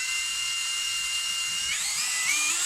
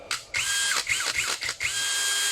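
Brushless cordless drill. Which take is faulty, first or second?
first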